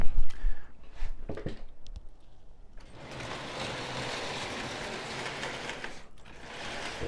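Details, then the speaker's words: Prewar Lionel 259E locomotive running on track after reassembly, with a steady gritty grinding under the motor whine. The owner suspects the gear plate rubbing against the gear post. "so i guess it goes around fine it just it just grinds a little bit and i don't like that"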